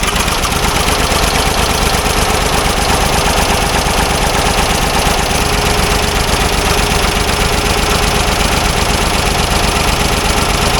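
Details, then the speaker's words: Old Ford loader backhoe that sat for a while, fed ether through the distributor breather port; rough, uneven firing with heavy rumble barely holding; has good spark but runs only on ether or carb cleaner and needs choke; carburetor suspected. "well at least it's running she needs the choke though well we know it runs that's half the battle so at least we know what uh ignition wise it's got a good spark and it's firing but it can't run without ether or carb cleaner"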